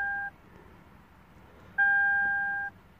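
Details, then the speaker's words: 2008 Lexus IS220d diesel, neglected, battery-drain car after alternator replacement, on battery charge: pressing clutch with keyless start gives two short two-tone beeps, key-not-detected warning; suspected flat battery, car asks to press button with key so coil reads it. "it says okay so basically the key is not okay it's cranky okay it didn't start okay because either the battery is flat or something along those mines"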